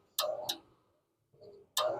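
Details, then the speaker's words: Concord furnace with the thermostat turned up: sharp, dry clicks in quick pairs with no steady motor hum, affecting vent motor speed. A relay on the control board is chattering; the fix is to replace the board. "all right this is a Concord furnace turned it on thermostat up listen to that here the clickity click it's affecting the speed of the vent motor"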